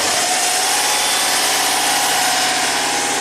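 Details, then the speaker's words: 2005 Subaru Legacy Turbo, 82,000 miles, that barely runs with the alternator connected; idling after the alternator is unhooked: even, steady idle with a bright light hum, no stumble or misses; running smoothly. "okay sounds just normal sounds fine"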